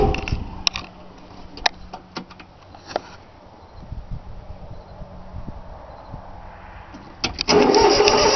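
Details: 3-cylinder Yanmar diesel on a cold start after glow plugs, starter turns it over steadily with no catch or firing; owner forgot to bleed the fuel lines, it usually starts right up.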